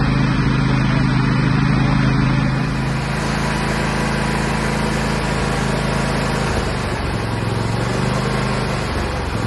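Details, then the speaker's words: Husqvarna GT 54CS twin-cylinder garden tractor after maintenance (two plugs, oil and fuel filter, 10W30 oil), driven around the property: smooth even drone, steady beat, no misses or knocks; normal running before later no-start. "So after a couple weeks of using her throughout the property, did great, solid."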